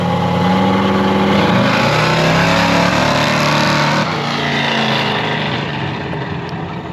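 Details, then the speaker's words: 1978 Chevy C10 big-block with a rebuilt, long-stored carburetor: V8 revs hard, note dips and falters briefly at the throttle hit, then settles; tip-in stumble, owners plan fresh plugs and jetting down to lean it. "track that didn't sound too bad it had a little stumble right at the hit"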